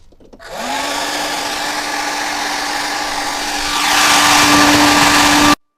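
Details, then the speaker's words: Hair dryer after its impeller was refitted on the shaft (glue advised if loose), which fixed a crackle like something rubbing at higher speed. It now spins up to a smooth whir and then second speed, with no rubbing: normal running. "всё на второй скорости никаких задиров нету всё работает отлично"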